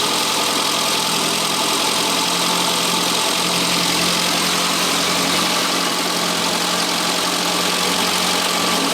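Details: 1962 Austin-Healey Sprite after 10+ years' storage, after engine teardown fixing a bottom-end knock: steady, even idle for nine seconds with no knock or tap from the bottom end; healthy.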